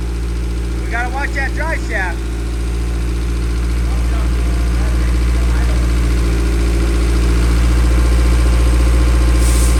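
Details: 1000 hp K-series jet boat that wouldn't restart, after ECU grounds were run directly to the battery and settings reverted. A smooth, even idle with a steady low drone that climbs slightly as it warms, no knocks or misses. Normal running.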